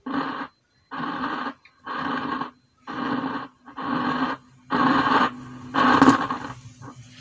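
Rough growl comes in bursts about once a second with no music behind it, the sign of an intermittent volume pot cable.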